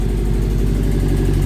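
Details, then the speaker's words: 1998 Subaru Forester S boxer, first start in years after timing repair, running without compressor or power steering: steady, even low idle with no ticking, owner thinks not misfiring; normal idle. "First startup in probably years. Obviously we have no compressor, no power steering, but I mean, I don't think it's even misfiring."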